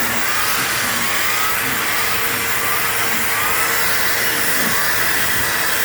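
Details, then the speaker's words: PowerForce 3522-6 vacuum with turbo brush attached. Steady, even motor whir with constant brush hum and a slightly labored note, no surging or rattles. It almost sounds like straining but doesn't trigger the indicator: normal running. "It's kind of funny because when you have a turbo brush on it, it almost sounds like it's straining, but it's not. It's not activating the indicator or anything."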